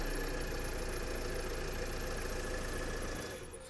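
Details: 2010 Renault Laguna with a parasitic drain from the faulty radio, radio fuse left out, started after sitting overnight: engine catches and settles into a steady even idle without stumbling; starting and running healthy.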